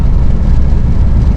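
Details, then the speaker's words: Ford Focus cruising on country roads after a rattle was traced to the loose Ford emblem and fixed: only a steady low road and engine rumble, with no buzzing or rattling in the cabin. "I just say thanks to the viewer who uh helped me find that Ratt if you notice can't hear it no more I think he said it was Ford"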